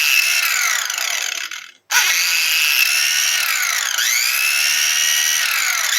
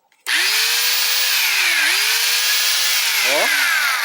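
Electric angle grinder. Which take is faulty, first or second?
first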